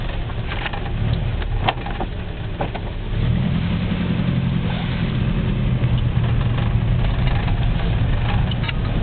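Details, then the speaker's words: 1960 Citroën ID19 driven around the block: low engine and road drone with sharp, irregular clunks from a worn ball joint due for replacement. "and if you hear the clunk that's the ball joint that i need to replace shortly"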